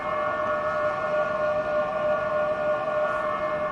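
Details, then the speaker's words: 2023 Toyota Prius hybrid creeping slowly, heard from outside: steady one-pitch hum, the pedestrian warning sound the owner believes activates below 20 mph; working normally. "That's what it sounds like from the outside when you're, I guess, going slow. I believe that sound activates below 20 miles an hour."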